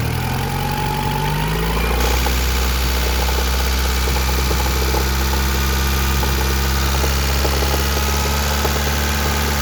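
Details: 1991 Honda Accord F22A1 with a 1995 Prelude F22A1 head swapped in, valve lash in spec: light quick tapping about four per second at idle, seemingly from the top around cylinders 3–4, unchanged by the head swap; owner wonders about piston slap or rod bearing.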